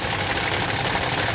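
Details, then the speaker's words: 2007 Toyota Tundra 5.7L V8 3UR-FE, 205,000 miles, cold start: fast metallic ticking and rattle over the idle from bank 1 only, said to fade once warm; failed hydraulic tensioner suspected, unconfirmed. "side of engine is making this noise listen to it it will apparently disappear after a while"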